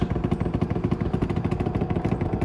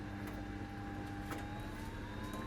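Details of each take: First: Samsung WD90K5B10OX 9 kg washer dryer, six-seven years old, spinning: rapid steady thumping about three times a second as the drum strikes something; owner suspects a loose ballast counterweight, bearings possibly worn. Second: Samsung WD90K5B10OX washer dryer after welded ballast and hose repairs, drying cycle: soft steady hum with gentle whine rising as the fan spins up, tub turning, heat felt; normal dryer fan operation.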